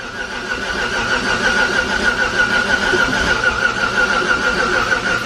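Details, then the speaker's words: 1000+ hp Chevrolet Colorado, first start of freshly built engine: steady high whine rides over the running engine for seconds after it fires; starter gear suspected to stay engaged, not confirmed; position sensor plugging also doubted. "what's that noise i don't know if i plugged in the correct position sensor"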